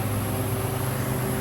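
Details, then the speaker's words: Walk-in cooler condensing unit in a 90°F heat wave: a loud, steady, strained low hum from the running compressor. The liquid line is not hot, and it is judged a low-on-refrigerant-charge sound rather than high head pressure. "It's either that's the sound of low on charge or high head pressure."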